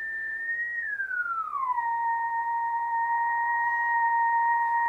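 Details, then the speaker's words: ICOM IC-751A transceiver after PLL trimmer replacement and readjustment: a generator signal near 23 MHz gives a pure whistle-like tone that glides down, then holds dead steady. The PLL is locked and stable, where before there was only ratty noise. "a nice tone nice and stay well stable as can be with my my lousy frequency generator but you know before we had just nothing but ratty noise there we couldn't get a tone at all"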